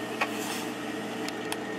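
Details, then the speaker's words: Circulator pump, recorded with the microphone held close to the motor while its speed is switched between settings: quiet steady low hum with a faint even whir, no rattle or grinding; normal circulator running. "Alright, unfortunately I did not get a chance to see it start up for the first time because it was already running when I got here, but this is the 1974 A.O. Smith copper boiler with the Bell & Gossett circulator pump. This is a very reliable old boiler."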